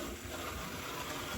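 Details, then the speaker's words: Märklin 34988 KPEV P8 model steam locomotive with a Delta decoder makes a steady gritty whir while climbing an incline; noisy running, and the owner suspects the noise comes from the tender rather than the locomotive. "so noisy and I hope that noise is nothing bad but like I said I really think that is in the trailing coal wagon and not the locomotive itself"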